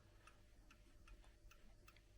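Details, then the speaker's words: Pendulum clock after adjusting the beat: crisp, even ticks about two and a half per second with no limp, clock running properly in beat. "can you hear a nice tick tick tick"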